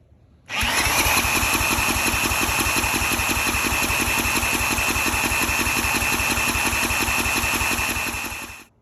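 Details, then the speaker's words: 34-ton log splitter's small engine, bought as supposedly blown up, after new plug, new fuel line, cleaned carburetor and oil change: cranks with even starter whir and regular compression pulses but never catches; carburetor bowl found empty, no-start from fuel starvation. "right so the ball is empty um which is a little surprising because earlier uh when I had the old fuel line on there the gas was literally pouring out of the uh wherever the bowl fills up right there"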